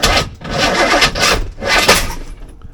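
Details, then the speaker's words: C4 Corvette 350 V8 after engine reinstall, distributor just turned 180 degrees: cranks and catches in harsh, uneven bursts then dies; way too much ignition timing, rough start from over-advanced timing. "Way too much timing. Did not like that."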